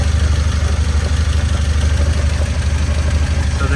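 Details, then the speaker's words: 1993 Nissan 240SX transmission after overhaul, heard from underside at idle; low rhythmic clunking about three times a second, suspected input shaft or countershaft bearings, possibly damaged transmission, unconfirmed: transmission noise at idle. "Unfortunately I can hear some noises here. There's something in the transmission making noise."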